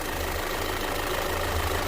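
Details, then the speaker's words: Audi/VW with the EPC light on and codes P0016 (bank 1 cam correlation) and P0341 (cam position sensor), shaking at about 1500 rpm with some smoke, driving: lumpy, diesel-like throb at low rpm; rough idle, cause suspected to be the cam sensor, not confirmed. "it sounds like a diesel you're just on the low end"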